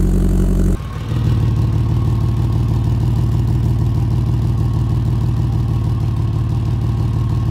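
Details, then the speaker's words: Very loud, deep blatting idle, far louder than stock, like a hot-rod muffler. Exhaust is leaking out before the muffler. "if your car sounds really loud and like some kind of crazy souped-up hot rod when it's not supposed to Chances Are you've got exhaust leaking out before the muffler"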